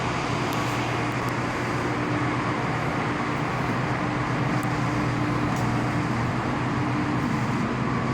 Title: Low voltage MCC outgoing cables giving very high humming sound.